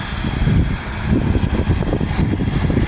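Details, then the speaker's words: Haier 5K BTU window air conditioner, salvaged from a barn and cleaned and bleach-disinfected, test run on high fan with no ducts fitted: slightly faster, with steady whooshing airflow, an even motor hum and no rattles or knocks. High speed is normal. "Let's do high fan. Slightly faster."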